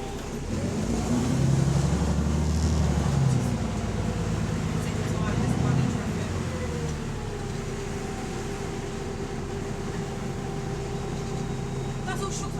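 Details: Bus AL DW447 on route 269, diesel under acceleration: loud roar with a rough, puffing rasp from an exhaust leak.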